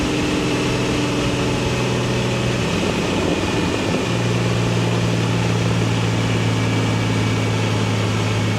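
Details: BMW N54 single-turbo at 17.5 psi, just after fitting Index 12 injectors and a new tune revision, idling after the first pull: a dull, uneven knock appeared suddenly. Metal in the oil filter suggests a spun rod bearing.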